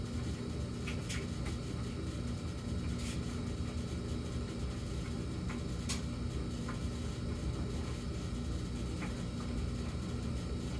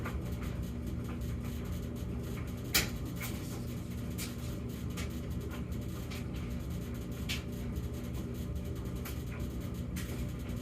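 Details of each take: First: Samsung gas dryer with an intermittent humming in a fixed pattern: a steady, deep droning hum with faint light ticks. High hum for 14 seconds, then low hum for 38 seconds, then no hum for a few minutes. The cause is unknown. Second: Samsung gas dryer in a normal stretch between intermittent high and low humming episodes: steady low tumbling rumble with occasional light clicks and bumps, no hum.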